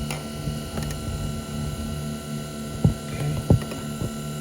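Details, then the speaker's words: Tesla Model Y, parked in garage for 24 hours, batteries not needing cooling, AC off; low steady hum with faint whir and clicks starts when the door opens, from a motor or pump under the left-side frunk vent, not the heat pump; cause unknown. "okay right there it's coming from there it sounds like a motor of some sword or a pump or something i have no idea so that's the part that makes this noise"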